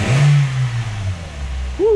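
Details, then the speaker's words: 2000 Toyota Echo after spark plug replacement and clearing of trouble codes: the engine picks up cleanly and drops back smoothly with an even note and no stumble. The earlier shaking, rough, misfire-like running is fixed. "liter power running a lot better sounds good so that is fixed"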